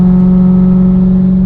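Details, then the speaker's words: Audi B6 S4 V8 on an updated tune, normal driving while logging, heard from inside the cabin: smooth steady low drone holding an even pitch, no knocks or rattles; pulling cleanly. "definitely hear it from inside the cabin i don't know how good the camera picks it up but i mean it drives like a dream"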